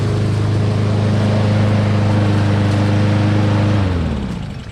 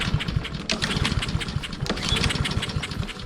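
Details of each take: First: Honda lawn mower found discarded because it would not start; after the carburetor was cleaned and reassembled, the small engine hums steady and even at a fixed speed, then winds down smoothly at shutoff, running normally. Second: Roadside-salvaged Honda walk-behind lawn mower, pull-start cranking after reseating the spark plug cap; rapid uneven clatter, never catches; no-start.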